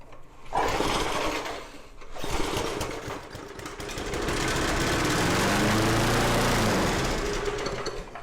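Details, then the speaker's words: Junkyard mower engine, first attempt on the table before carb cleaning and with only a faint spark: a couple of short bursts on the pulls, then it catches and runs at a smooth, even chug; lots of oil blows out the chute. "That is incredible, just incredible. So that actually sounded pretty good."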